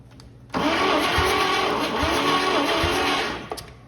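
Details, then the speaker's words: Early-1940s Chevy 216 inline-six, unused 40+ years, dry compression test: starter grinds slowly, labouring and kicking down on each compression stroke about once a second; only about 60 PSI, one cylinder 32, low compression. "60 PSI roughly what starter kick back pretty hard you know loaded up heavy when I when it cranked against some pressure even though it was only 60 PSI you can hear it it'll kick down when it gets on the compression"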